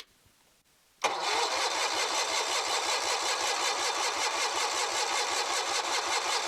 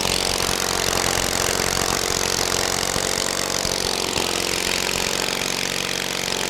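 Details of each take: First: Kohler 23 HP big-block engine cranking after being sprayed and with the choke confirmed moving. Steady starter churn with even compression beats, a couple per second, but it never fires; good compression, plugs to be replaced. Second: Kohler 23 hp big block, freshly started with plugs in and fuel: steady, busy drone holding speed with only a slow swell, no misses or knocks; runs well despite little work done.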